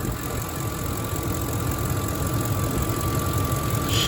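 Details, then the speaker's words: 2005 Ford F-150 with the 5.4 Triton V8 at idle after a drive, hood open; low, even rumble holds steady with no knocks or misses and a faint belt hum; a smooth runner that sounds good. "She's a pretty smooth runner. Sounds good. She sounds good."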